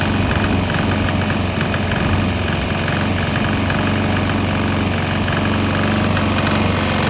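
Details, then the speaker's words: Swan X 165F Chinese single-cylinder diesel idling on a 50% used motor oil / 50% diesel mix; steady, even thump. After rough running right after the fuel change, it seems to be smoothing out. "But hey, look, it seems like it smooths out a little bit."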